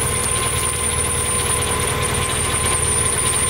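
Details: Mercedes CL500 idling with a steady high-pitched squeal and fainter chirping whine, heard after a pulley is sprayed with WD-40 to test whether the noise stops; traced to a worn idler pulley bearing.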